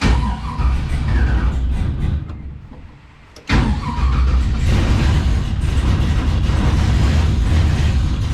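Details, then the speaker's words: 1951 Chevrolet with LS1, Holley Terminator X Max, first start after fixing miswired coil sub-harnesses and TPS reset: lumpy, uneven V8 idle with loping beat and a brief stumble; rough running, unsure if misfiring. "So, um, yeah. I don't know why it's running so rough, but I don't know whether it's missing or or what."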